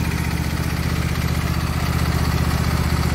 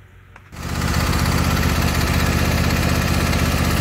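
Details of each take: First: Husqvarna YTH22V46 lawn tractor, Briggs & Stratton engine, stopped moving; drive belt off pulley due to a wood chunk wedged in it: after fix, steady even beat with no knocks or scraping; runs and drives quietly. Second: Husqvarna YTH22V46 lawn tractor running after the hitch clip was replaced; loud rattling racket from underneath at about four beats a second, caused by wood jammed in the transaxle pulley.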